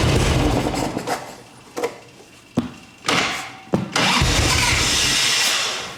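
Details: 1989 Harley Ultra Classic Tour Glide Evo, butterfly carb, on ancient gasoline with possibly no fuel filter: repeated cranking with short catches, then a high choke idle that fades out. The engine stalls after starting and only runs on choke.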